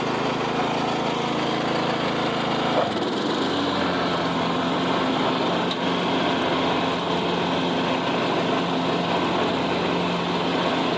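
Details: $25 Craftsman riding mower, refurbished with new belt and deck reinstalled: small single-cylinder engine holds a steady, even drone under load with no misses or knocks; normal running, smooth.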